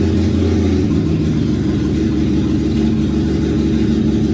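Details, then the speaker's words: 1987 BMW E30 325iS, M20B27 SuperETA-bottom-end engine, first start after build: low, lumpy, uneven idle; vacuum leaks remain and the AFM intake boot is unclamped. "well it runs that's good still definitely have some leaks obviously there's no clamps on the afm boot or anything like that"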